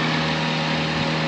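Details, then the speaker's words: 2007 Toyota Avanza E VVT-i, first generation, hydraulic power steering, oil full and clean: smooth, even idle with AC on, steady low hum barely changed by compressor load; no knocks or misses, healthy normal idle. "Wah, luar biasa bagus ini. Ini pasti bagus mesinnya kalau seperti itu. Nah, ini suaranya suara AC dan ini mesin"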